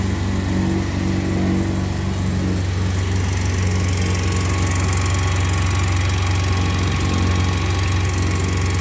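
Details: Yamaha Mio Z 125 scooter idling: harsh uneven rattle over steady low drone, rough engine noise; cause not yet found.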